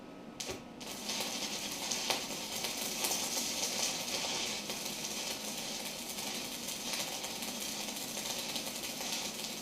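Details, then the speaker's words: New SIP inverter multi-process welder, stick welding on DC electrode negative with short leads: quiet, steady crackle like frying bacon, no popping or sputtering; stable arc with slag lifting well. "very nice apart from my crappy AR welding um but uh very pleased to see the slag is starting to lift up which uh is always a good sign"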